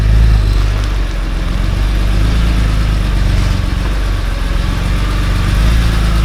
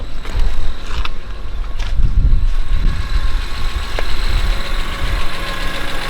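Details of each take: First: BMW E46 M3 S54B32 at idle, before repair: rough idle with a fast, uneven knock about four per second; camshaft-to-crankshaft sync fault logged; engine knocking at idle. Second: BMW E46 M3 S54B32 idling, slightly warm, after timing chains, guides, tensioner, VANOS, oil pump, water pump and rod bearings service: steady, even idle, no knocks or misses, light intermittent whine from the alternator; engine runs smooth and quiet.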